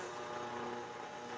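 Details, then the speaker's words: Harman Kardon 330B receiver on AM using its built-in antenna: steady, even buzz with a hum-like edge, picked up from electrical noise on the bench that would go away if equipment were switched off. "i got a little bit of noise on my bench here and you can hear that buzzing picking it's picking up a buzzing if i start to turn things off that would go away"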